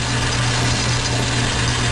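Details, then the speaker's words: Logan lathe on high speed after new brass idler bushing installed: steady even hum, gear train smooth and quiet with no knocking or chatter. "Running smooth. Quiet there."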